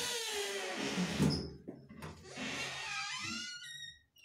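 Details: Dry door hinge creaks loudly with a long, wavering squeak as the door swings; fix suggested is a little cooking oil on the hinges.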